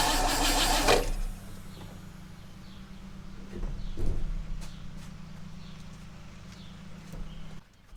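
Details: 1960 Oldsmobile Dynamic 88, sat for years, running on new 3/8 fuel line from jerry can: a second of loud cranking, then steady even low idle with no knocks.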